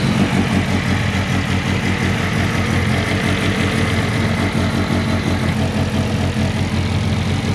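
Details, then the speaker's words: Car with fuel smell and rough idle, after swapping the O2 sensor and logging with a laptop, fuel pressure seems okay: deep steady idle, firm even pulse, no misses or surging; normal idle, possible boost leaks still unchecked. "pressure seems to be running okay it still sounds good"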